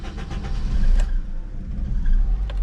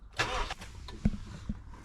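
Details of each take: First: Honda CR-V B20 after cleaning idle control valve (ICV) and its blocked gauze filter: cold start cranks, catches quickly, settles into steady raised idle, deep even rumble; normal high cold-start idle it never had before. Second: Honda CR-V B20 cold start after cleaning the idle control valve with brake cleaner; cranks and catches unevenly with stumbling bursts before settling, hesitant from cleaner residue left in the ICV, then appears to hold a high cold idle it never had before.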